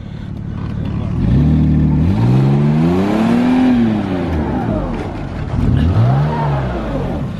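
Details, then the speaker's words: Mazda pulling away after flux-core MIG welding of the exhaust gasket leak; smooth rising and falling engine note with no rasp or ticking, exhaust now quiet and sealed. "wow that thing is quiet a look at that just peeling off like it's his day job"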